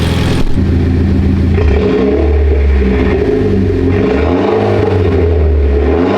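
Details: Mitsubishi Lancer Evolution X after rebuild, new brake lines fitted, fluids being topped off: engine catches and revs cleanly, pitch rising and falling smoothly with throttle, no knocks or rattles; sounds healthy.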